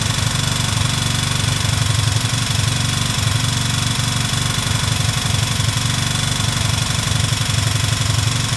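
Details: Chinese motorcycle with a 162FMJ OHV single-cylinder engine, bought with the fault: steady idle with a regular hard knock, about three per second, riding the firing beat from inside the engine; cause unknown.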